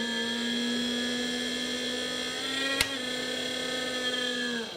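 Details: Creality CR-10S 3D printer: a steady, high, buzzy whirring whine holds pitch, then winds down. The cooling fan is running noisily, and dust is visible inside.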